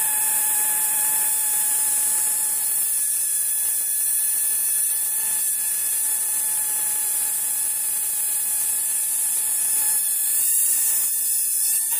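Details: Oudin-type Tesla coil running with the coil ungrounded: steady high hiss with faint tones near 900 Hz and 1.8 kHz, no sharp cracks; weak, cool discharge that heats but does not burn a lamp.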